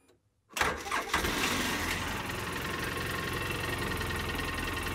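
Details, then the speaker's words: 2013 Polaris Ranger two-cylinder, after replacing the broken injector wire harness (engine code 651, low power): short crank, catches at once, settles into steady even idle running on both cylinders; normal start and idle. "all right definitely running on both cylinders that's good"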